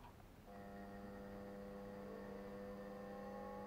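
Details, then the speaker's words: Reassembled small 3-phase motor driven by a controller with potentiometer, supposed to output DC: once spun up, a steady low hum with a buzzy edge holds constant, independent of voltage. "now you hear it spinning up you hear it humming the hum is independent of the voltage"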